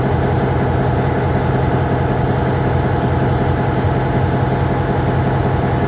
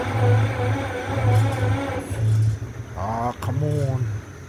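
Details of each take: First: MP15 switcher locomotive on DO-1 that started right up, unlike the second unit that had a hard cold start on weak batteries; deep, steady diesel throb at an even beat, no stumbles or knocks, healthy idle. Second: EMD MP15 switcher locomotive diesel, cold start on weak batteries: slow, labored cranking at about one turn a second before catching, running rough and smoking. Hard start from weak batteries.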